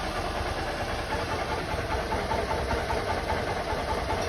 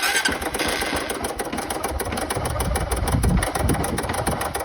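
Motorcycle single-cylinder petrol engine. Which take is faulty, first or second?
second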